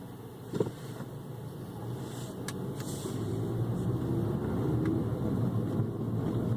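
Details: 2015 Ford Focus Titanium hatchback, six weeks old with 1000 miles, driving: scattered light taps and clicks over road rumble, a recent intermittent rattle getting worse, source not pinpointed.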